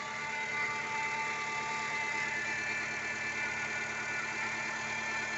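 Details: 2012 Nissan Sentra with the accessory belt removed: a quick rhythmic clatter still rides over the idle from the crankshaft pulley area; cause not yet known.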